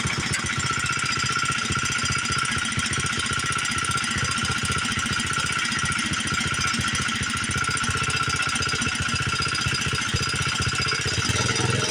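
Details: Old Montgomery Wards 32 riding mower engine after ultrasonic carb cleaning, new plug and choke set: uneven stumbling idle with rattly top end; runs rough, carb didn't clean up and likely needs replacing, smoking badly, owner unsure if rings are worn.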